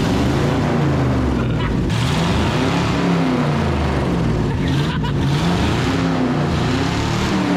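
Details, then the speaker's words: 1970 International Loadstar, formerly locked up, carbureted V8: engine runs steadily and smoothly, pitch rising and falling as revved, fuel pump working. "she's running great can't argue that it is really smooth like really smooth"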